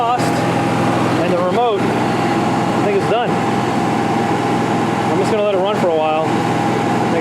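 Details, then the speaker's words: Newly installed generator under the bed of a 1976 GMC Motorhome, heard from inside with no AC or load running; loud, steady, even drone, very quiet in the cabin, no surging or knocking, temps in the 160s: normal running. "i don't have anything running right now ac or anything but it's very quiet up here you can barely barely even hear it"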